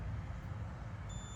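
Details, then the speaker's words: 2008 Ford Escape, power windows not working: multimeter continuity test on fuse 47, a 30 amp fuse, over low engine rumble; clear steady high beep confirms continuity, fuse good. "So now we're gonna check and see if we have power coming from one side to the other side. Which we do. So this fuse is good, okay?"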